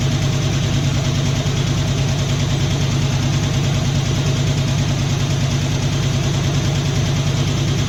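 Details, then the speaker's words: 1964 Dodge D300 Sweptline crew cab with 318 Poly V8 transplanted from a 1966 Coronet wagon, first run: steady low idle with slight stutter and light fast clickity-clack about three per second, a noisy lifter; valve cover gaskets leaking smoke. "so it's got a little bit of a stutter to it you can hear you know you can hear some clickity clacking from the lifter"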